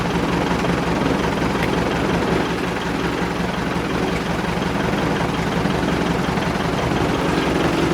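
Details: Piper Super Cub widebody after refurbishment and tune-up, hand-propped because of a dead battery, warming up on the ramp: even, steady propeller idle with a rough throb and no misses or knocks.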